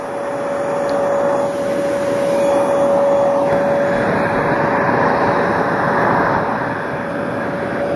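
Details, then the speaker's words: Small Bissell household vacuum, motor reassembled after running uncovered (warm after use), switched on again: even steady roar with constant high whistle, no rattles or surging; runs normally. "now I'll turn it on once again it works"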